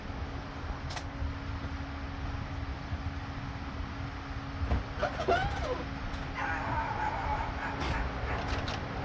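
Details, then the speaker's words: VW B5 Passat GLS wagon 1.8T, after high-flow exhaust manifold upgrade, first start: even low idle rumble with turbo audible, slight smoke off the downpipe, no ticking or puffing; runs smoothly, no exhaust leak. "Oh, you can hear that turbo up. A little bit of smoke off the downpipe for my greasy hand."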